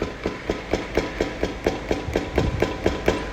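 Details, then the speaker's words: Hyundai HB20: sharp metallic knocks about four times a second, suspension-area noise that stops when brake is pressed; play from worn brake caliper guide pins. "lá pra solução essa folga pessoal é provocada pelos pinos da pinça de freio"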